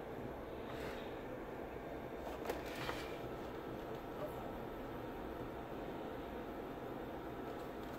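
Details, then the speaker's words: BenQ W1080ST DLP projector (made Nov 2013), dusty and smoky from fireplace room, before cleaning: soft, even blower rush with no ticking or rubbing; lamp lit and cooling fan running normally. "definitely see that the light is on in there the lamp is running and the fan sounds good"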